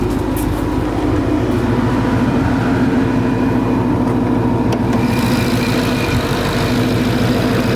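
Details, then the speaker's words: Supercharged 2013 Ford Mustang GT V8 at idle: a loud, uneven, stumbling beat instead of a smooth burble, an audible misfire even though a scan showed no misfire counts on cylinders 1 through 8. "but i know you guys hear this right now it's that's"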